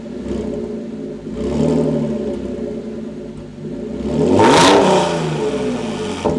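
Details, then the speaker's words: Rebuilt Audi S5 3.0 L supercharged after timing job: clean strong revs rising and falling between steady running, no knocks or rattles; smoke from valve covers, owner believes it's burning off. "this car has been roaring for quite a long time and it sounds so incredibly good"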